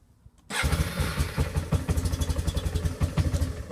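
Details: Yamaha Bear Tracker 250 cold start, sat overnight at 43°F, carburetor cleaned inside the day before, in neutral, clutch pulled; short crank, catches at once, even quick single-cylinder thump, no misses, healthy.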